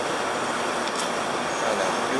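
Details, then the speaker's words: 2003 Nissan Altima after wheel bearing replacement, road test: steady road rush with no growl or hum building with speed; new wheel bearing smooth and quiet. "no more noise nice and smooth barring there"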